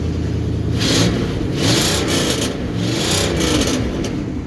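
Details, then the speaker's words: 1964 Ford Galaxie, 88,797 miles, warm engine (not a cold start): revs rise and fall smoothly through a few blips with an even, strong exhaust note and no knocks; sounds healthy though it feels like it may die on first acceleration. "it does uh it does sound pretty good um and it it runs a little bit funny like it'll it's sound i kind of feel like it's going to die when you first accelerate and then it kind of picks up and it's fine but never actually dies"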